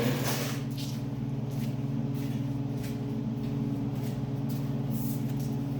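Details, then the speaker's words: 1989 Ford F-150 idling with the exhaust open at the headers: a steady, deep, unmuffled pulsing throb, loud and obnoxious, to be fixed by reconnecting the exhaust. "but that's what she sounds like it's pretty obnoxious so we'll get that fixed up"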